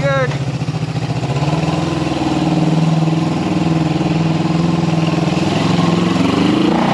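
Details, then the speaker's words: 1974 Honda CB360 twin, neighborhood test ride after carb repair: pulls smoothly as revs climb, then settles at the stop and idles well with no hesitation or popping. Running healthy. "yeah no hesitation [Music] now look at that oh yeah be a nice little Ridder"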